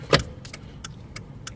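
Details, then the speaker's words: 2000 Jeep Cherokee after combination turn signal switch replacement, key in run position: steady crisp clicks about three per second in quiet cabin; turn signals and hazards working normally. "the clicking my turn signal is working needs each position now the hazards are working"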